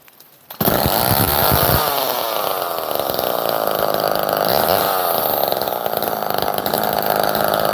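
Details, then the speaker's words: Old Homelite chainsaw, chain unsharpened about a decade: fires within half a second, then loud crisp two-stroke scream holding strong revs and picking up cleanly; healthy, normal running. "So let's fire it up. This thing rips pretty hard. I love this little saw."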